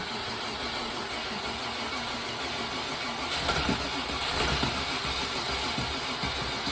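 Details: Classic MK1 Range Rover V8 that wouldn't run for months; the original diode pack under the driver's seat had been replaced by a standard relay. Cranking catches halfway through, then the engine settles into a rough but continuous idle.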